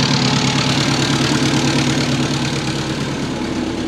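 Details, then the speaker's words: Subaru Forester turbo just converted from automatic to 6-speed manual, first drive, outdoors: idling engine with a raspy puffing tick about three times a second, lots of exhaust leaks. "definitely got an exhaust Lake definitely got lots of exhaust leaks"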